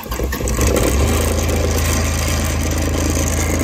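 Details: Benford Terex HD100 dumper diesel, which has no forward or reverse drive, started from the seat with the lever in the middle after glow plugs: brief crank, then an even, steady low idle with no misses or knocks. Engine starts and runs normally.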